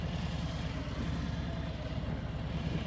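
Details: Motorcycle at low speed with the clutch fully released and no throttle, after a chugging demo. Low, even thumping at a steady slow beat shows the chugging removed through clutch control: smooth running.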